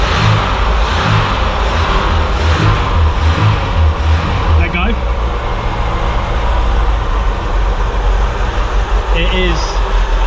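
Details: Volvo 340 abandoned 25 years, first start on full choke, no oil pressure yet: a few uneven revs, then a steady, low, even idle; running fine.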